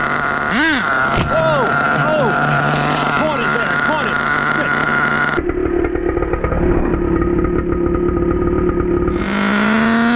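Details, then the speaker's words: HPI Savage 21 with rebuilt Dynamite 28 nitro engine on a cold day, idle set a bit high: revs wildly up and down, then holds a screaming high rev without control; radio lost signal, electronics suspected; engine runaway. "What the hell happened? Whoa, whoa, whoa, whoa. Savage, it's over. Weird runaway. Can't can't risk it."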